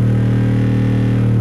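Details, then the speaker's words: Vintage Realistic STA-235 stereo receiver driven into hard clipping while checked on an oscilloscope: loud steady buzzy low tone with harsh edge, amplifier overpowering and distorting the speaker. "if we turn it down a bit you can hear the speaker is overpowered right about right that's sheesh you can really hard clip this thing look look at that waveform"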